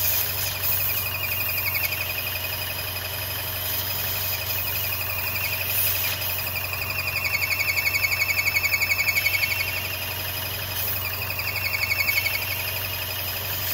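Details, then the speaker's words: 2014 Chevrolet Cruze 1.4L with oxygen sensor and intake airflow codes just cleared, before PCV kit install: high pulsing squeal about four times a second over idle, from PCV vacuum leak, engine struggling. "i mean the engine is struggling and as you can hear the noise [Laughter] okay that's the problem"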